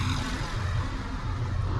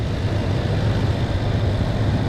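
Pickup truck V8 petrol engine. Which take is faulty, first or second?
second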